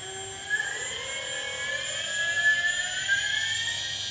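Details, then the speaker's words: RC plane brushless motor tested on a 2S LiPo after its 60A ESC melted: clean arming beeps, then a whine rising smoothly with throttle to steady wide-open pitch, no rattles or stutter. Normal brushless motor run. "so let's raise our throttle kicks in sounds perfect motor"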